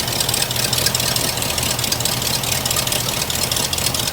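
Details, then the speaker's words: Old hearse V8 with new exhaust, warming at idle: lumpy, unsteady idle with hissy edge; PCV valve hose sucking itself shut, vacuum leak causing rough idle, new hose needed. "That PCV valve hose is not right. It's like, it's sucking itself. I need to get a new hose for that."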